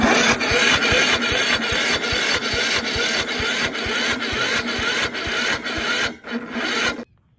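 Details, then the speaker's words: Toro Z4200 TimeCutter 54-inch zero-turn mower, flood-submerged and parked about two years, cranked via a screwdriver across a bad solenoid with choke on: even compression beats about two per second, no firing; cranks but won't start. "All right. That's not looking promising."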